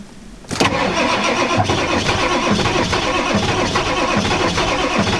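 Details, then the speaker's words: 1995 Ford F-350 XL 7.3L Powerstroke turbo diesel, sitting since November, icy cold, not plugged in; starter cranks steadily without firing; owner suspects glow plugs not working or gelled fuel. "Nope. Sorry. Told you guys she won't start. She never will. Something's wrong."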